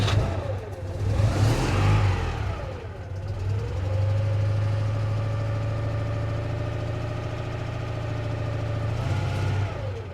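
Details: Citroen Ami 8, two-cylinder engine, started with foot flat to the floor, heard from the back: small twin catches, revs up and down twice smoothly, then holds a steady, even fast idle. Normal start.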